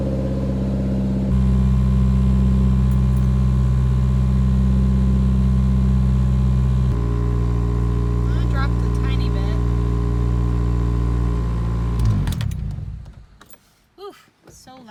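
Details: 1990 Toyota Celica GTS after cleaning the idle control valve and repairing airflow sensor wiring: idle sits high and steps between speeds instead of settling; high surging idle, vacuum leak or swapped wires suspected.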